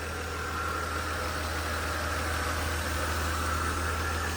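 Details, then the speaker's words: 1993 Mercedes R129 300SL, 117,000 miles, salvaged with no history, running. Ticked at first but, as the owner thinks, settled once oil circulated into a steady, even idle with a soft low hum and no ticking or misses; normal idle. "engine sounds really really smooth actually it was uh ticking initially but I think once they all circulated it sounds very"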